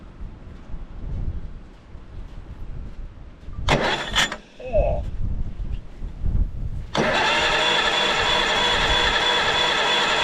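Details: Caterpillar D8 2U crawler main engine at its first start, revived after work on its pilot (pony) motor: some clatter and knocks, then catches and settles into an even, steady roar with no knocks; motor sounds fantastic, normal diesel running.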